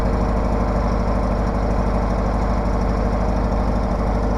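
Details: Case 446 garden tractor after maintenance, started at about 35°F: steady, even single-cylinder putter at low idle with no knocks or misses; engine runs smoothly and sounds healthy.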